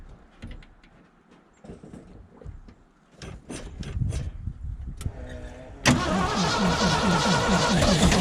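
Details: 1975 Ford F750 pipeline truck V8 after sitting, accelerator pump now squirting fuel: starter spins the engine with about four uneven pulses a second, trying to fire but never catching cleanly; hard starting, cause not confirmed.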